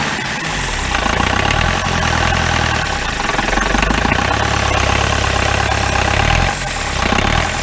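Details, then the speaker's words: 1953 Mercedes 170D four-cylinder diesel, formerly seized, after timing marks found, valves adjusted and bad glow plugs dealt with: even diesel clatter at steady idle, regular firing with no misses or knocks; running healthy. "since all my glow plugs were bad ten look at that that sounds pretty good"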